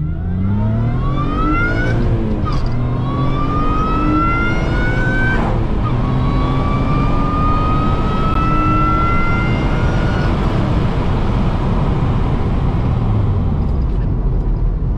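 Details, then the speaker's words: 2006 Acura TL, Comptech supercharger with new J37 throttle body, free-flowing exhaust and intake mods, driving under acceleration through gears: clear whine climbing with rpm, dropping at shifts, supercharger much louder now. Healthy. "all right that sounded good the supercharger is way louder now so that throttle is definitely cramming into more air"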